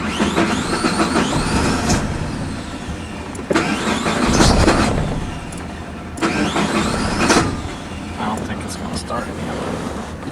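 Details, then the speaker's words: 2003 Suzuki Vitara 2.0 4WD, 79,000 miles, bucks, stalls and is hard to start when warm: repeated bursts of fast cranking, catching briefly but not starting, no RPM signal shown; PCM apparently lacks cam timing, cause not confirmed. "I'm not seeing any RPM, but I can hear it cranking, and we know it's cranking."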